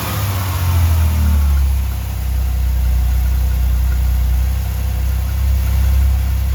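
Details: 1989 Chevrolet Celebrity base model, 205,000 miles: low idle swells and sags in slow waves, dropping too low, surging, nearly dying and catching itself; vacuum leaks causing hunting idle, IAC valve to be swapped.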